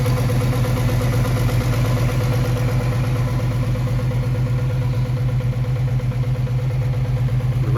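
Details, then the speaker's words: 200 inline six at idle: steady even idle, smooth low thrum, regular firing pulses, no knocks or misses; healthy running. "it sounds really good for a little inline but I'm pretty happy with it"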